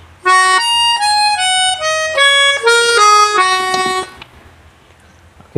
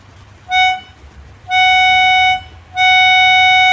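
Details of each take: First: Melodica after repair of notes sounding by themselves (loose membrane/valve reseated): clean single reed notes in a bright melody, no doubled or beating tones; normal tone. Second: Melodica (pianika) blown through the hose with no key pressed; same clear steady note sounds each time; a key valve is stuck open so the reed sounds unpressed.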